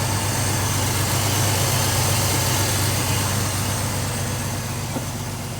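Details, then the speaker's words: Chevy S10 at idle, heard at the exhaust, after fixing a vacuum leak; steady, even idle with deep exhaust burble and no misses, running smoother and cooler; idle mixture screws about to be adjusted. "She seems to be running smoother. She's running a lot cooler since I fixed that vacuum leak."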